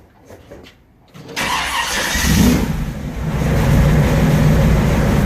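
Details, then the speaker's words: Restored 1957 Chevy Bel Air V8, 5000 miles since restoration, first start after fresh motor oil, transmission and differential fluid: starter catches and settles into a deep, even idle with no misses or knocks; normal start and idle. "so here we go but they're in here's our very first start let's do it"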